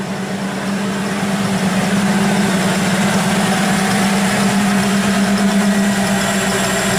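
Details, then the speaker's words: 1934 Ford pickup hot rod V8 idling with electric exhaust dumps: even, low burble that gets louder once the dumps open and is dead quiet with them closed; no knocks or ticks, healthy idle. "Is that with the dumps open? And with them closed, it's dead quiet? Real nice."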